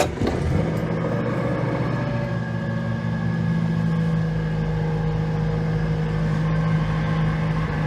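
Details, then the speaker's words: Fox petrol car just started as fuel comes through: settles into a steady, even, smooth run with no misfire or knocking; sounds healthy. "Bit too much overlap really, but that sounds lovely, doesn't it?"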